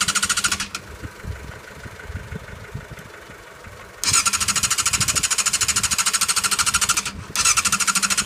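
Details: Yamaha YZF600R that won't start: fast, even cranking clatter about three per second with a high metallic rasp, never catching.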